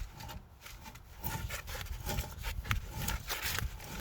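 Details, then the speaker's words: 2008 Dodge Ram 1500 front wheel bearing, hub spun by hand with wheel off: dry, gritty rub coming and going each turn; bearing worn out, long failing, hub wobble cut into the caliper bracket. "She's a little dry, but it is definitely done. But I don't know when the last time this has been off, and actually this bearing has been going for a while."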